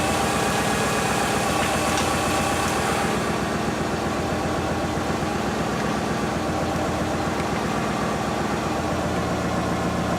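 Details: Subaru engine, top end refreshed (head gaskets, timing), bottom end not rebuilt; idle with loose, fairly regular tapping about four per second over the hum, owner suspects early rod knock, unconfirmed, before Lucas oil stabilizer.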